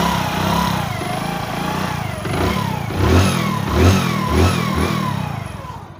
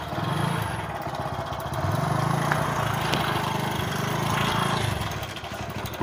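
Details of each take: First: Hero HF Deluxe motorcycle after its timing chain problem was fixed: the engine idles evenly and rises and falls cleanly on throttle blips, with the earlier clicking from the top end gone. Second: Hero HF Deluxe motorcycle idling unevenly with a loose, rapid rattle over the exhaust beat; tappets checked fine, and the timing chain is badly stretched and very loose even with a stronger tensioner spring fitted.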